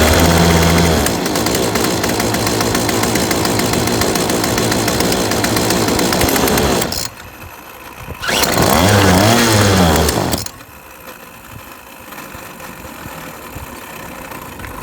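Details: Yardwork 25cc two-stroke trimmer after carburetor replacement and adjustment (gas cap tightened, fuel filling bowl): catches and buzzes steadily at high speed, then blips again after a pause; clean, even run with no misfire.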